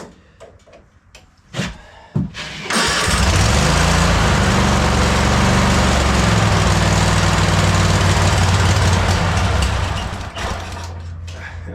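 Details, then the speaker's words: Cub Cadet Super LT 1550 lawn tractor Kohler single, carburetor plunger needle cut off: sputtering cranks then steady low run sagging at end; earlier surged and died; dies on anything but full choke; hard starting, runs only on full choke. "wants choke so bad. Yeah. Anything but full choke and it's dying."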